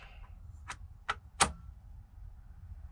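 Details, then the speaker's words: Car fitted with an NRG steering wheel ignition system, on a cold day: three sharp dry clicks in a quiet cabin as the relay pulls in cleanly when ignition power comes on. It works normally. "Ah, okay. So it actually did work. You hear the relay power on."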